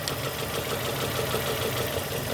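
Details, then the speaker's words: 2002 Nissan Almera N16 with QG18 cable-throttle engine idling rough with an uneven, stumbling beat after a spark plug change: cylinders 3 and 4 dead because two ignition coil connectors were swapped. "number 2 contributing, number 1 contributing. So right now the vehicle functioning on firing on 2 cylinders."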